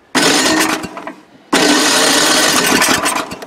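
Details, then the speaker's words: Old Craftsman snowblower, gifted, old fuel and oil, on full choke then choke eased: small engine catches and roars, sags, nearly stalls, surges back; hard starting and revving traced to carburetor. "hmm mystery why isn't it starting now let me let the guests sit a little bit again"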